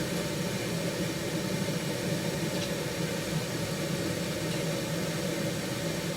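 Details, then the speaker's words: 1974 HydroTherm gas-fired hydronic boiler, standing pilot, old and leaky, first firing of the season: steady, even burner roar with no popping or flutter; firing nicely, pipe warming. "The burner, let me just get into position, is firing nicely, so that's good for a change."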